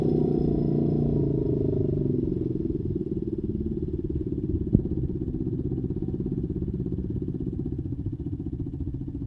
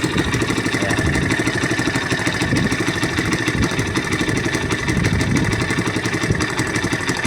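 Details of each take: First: Honda XR200 after carburetor setup and idle adjustment, fixing a hard-start fault: small single settles from a fast, choked start into a steady, even idle with no misses or knocks; runs clean. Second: Honda XR200 after a carburetor fix and idle adjustment, formerly hard to start without choke: popping, uneven idle with a raspy, sputtering note at every firing pulse; exhaust leak from a holed muffler.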